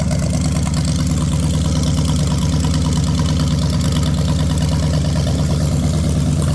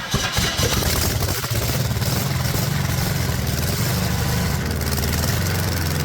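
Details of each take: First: Ford 460 big-block from a neglected farm chore truck, first run on a gravity-fed lawn mower tank and the original mechanical fuel pump, no cooling system: a deep, even idle rumble with no ticking or knocking. Not smoking. Healthy. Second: Cheap Ford 460 V8 from neglected farm truck, first revival run on original mechanical fuel pump: catches and runs rough, rpm wavering and sagging; fuel starvation, mechanical fuel pump found dead; oil also seen leaking at cylinder one, possible head gasket.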